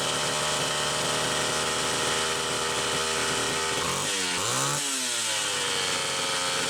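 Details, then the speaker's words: Homelite Super XL two-stroke chainsaw with a mid-80s Tillotson carburetor, test run: a high, buzzy scream with uneven revving and a ragged dip under throttle. Gas is seen leaking at the carburetor, traced to a weak inlet needle spring. "okay well that is actually running a hell of a lot better than I expected there is a carburetor issue of some sort right here"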